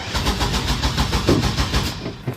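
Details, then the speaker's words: 2000 Chevy Astro van, even starter cranking with no firing and no check engine light; fuses, relays and distributor cap checked; camshaft position sensor suspected, and replacing it got it started, though a sensor code remains, likely from stripped connector wires. "I have a 2000 Chevy Astro van. Doesn't start."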